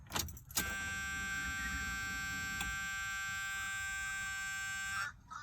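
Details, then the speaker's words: 1984 Chevy Impala with LS swap, first startup attempt after no-start: at key-on a steady high electric hum about 4.5 seconds then cuts off; fuel pump priming normally. "I'm gonna let my fuel pump prime this gas up."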